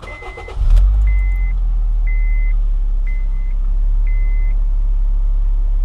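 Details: 2007 Honda Fit that wouldn't start, after replacing the fuel pump module and reconnecting the battery: engine cranks briefly, catches and settles into a steady, even idle while a door chime beeps. Runs smoothly, normal idle.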